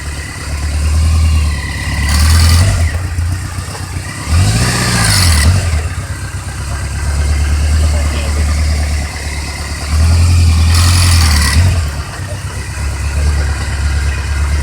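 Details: 2003 Kawasaki Voyager XII motorcycle: loose rattle at low rpm on releasing the clutch, gone at 1800 rpm and absent at plain idle; mechanic suggested starter chain, owner suspects loose alternator retaining flange bolt.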